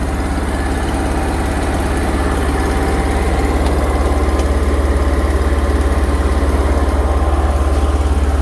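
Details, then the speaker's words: New Lincoln Ranger 330MPX welder generator, first startup after priming the fuel pump, at idle: deep, even idle at about 214 pulses a minute with no misses or knocks; smooth, healthy engine. "That's pretty smooth."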